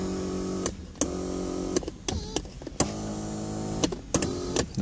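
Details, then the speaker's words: 2016 Mazda 3 (Axela) electric seat motor adjusting: loud buzzing whine in one-second bursts, steady pitch; very noisy, owner unsure if broken or obstructed. "pretty noisy well may it's broken or there something stupped there it's very noisy listen to that kind of sounds like Tron sounds like Tron"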